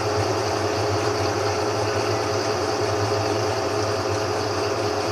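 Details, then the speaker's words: GE 15 kg washing machine after repair for the drum knocking against the sides; steady, even hum climbing to full spin speed with no side knocking or banging: normal spin. "até agora pelo meu ponto de vista eu não consegui ver e ouvir barulho ainda nem acredito que o barulho foi embora"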